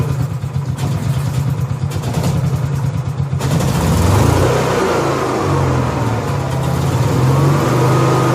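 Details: Honda EXW171S welder generator, sat in a barn over 5 years, run indoors: small engine catches about three seconds in and settles into a smooth, even, quiet run with no misses or knocks after choke warm-up; normal running, healthy.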